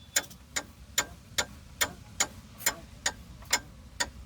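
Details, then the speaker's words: Skoda Superb with rough ride, mic close to front strut while turned left-right: sharp dry clicks roughly every 0.8 seconds from the strut top mount and bearing; mount to be replaced, bearing to be checked and replaced if noisy. "So basically ऊपर जो shocker bearing और shocker mount है उसके वहां से आवाज आ रही है।"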